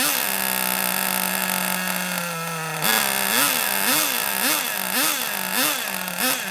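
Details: Kyosho Mini Inferno ST 09 nitro RC engine, primed with a starter box, runs at a high steady buzz that surges up and down about twice a second; the tick-over sits a little too low, so the idle gets turned up.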